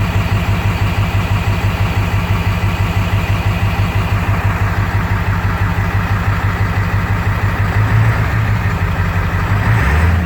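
Lumpy, uneven idle right after start, pulsing about three times a second with an unsteady beat, a rough-running cold idle. Cause suspected, not confirmed.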